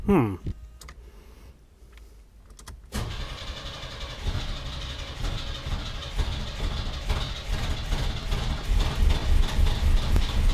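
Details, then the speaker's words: 1991 Chevy S10 pickup, new correct starter installed, coil wire reconnected: starter cranks evenly three or four beats a second for eight seconds without grinding or thumping, but engine never fires; weak spark. "Starter is working great, but the truck won't start."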